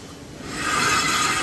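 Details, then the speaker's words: Renault Master minibus rear brake pad worn through to its metal backing, giving a harsh, rattling metallic grinding on the disc that swells as the wheel turns. "Yani arabanın balatası bitmiş diske sürtüyor"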